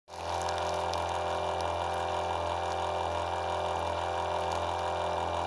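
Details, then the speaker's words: Small high-pressure electric water pump on a 12 V system drawing about 1 A: loud, steady hum with a buzzy, rattling whir over running water; it is noisy and due for replacement with a quieter pump. "вот такой насос он считается высокого давления но шумит Хотя потребление сейчас около 1 ампера двенадцати вольтовой системе"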